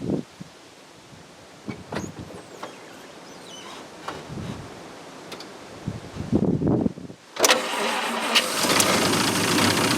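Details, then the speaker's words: 1950 Studebaker Champion engine, first start after 40 years sitting in a shed, running only on fuel poured into the carburetor with no fuel feed hooked up yet. Short cranking bursts, then it catches and roars, smoking a little from Marvel Mystery Oil squirted in. "smokes a little bit cuz I got my old Marvel Mystery squirter dump some in there get some down hopefully that's enough let's give her a try"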